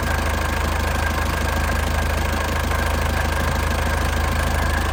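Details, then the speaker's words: Warm 2002 Panther LS diesel idling hot with no exhaust smoke: a steady, even clatter at a constant pace, with no stumbles or extra knocks. A healthy normal idle. "Kondisi udah panas ya, tanpa keluar asap ya. Tanpa keluar asap, suaranya masih pulen banget ya."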